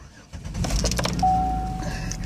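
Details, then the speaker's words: 2007 Chevy Uplander Braun mobility van, about 277,000 miles, after shop repairs: short crank catches quickly into steady, even low idle hum with no misses or knocks; fires right up, idles smoothly. "current miles to seventy seven eight twenty seven man fires right up it idles smoothly"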